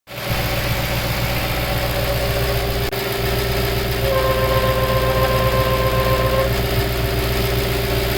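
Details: Audi B6 S4 during oil change, idling then shut down: steady hum, then a clear tonal honk rising for about two seconds, the noise it makes on shutdown; owner suspects vacuum leak, unconfirmed.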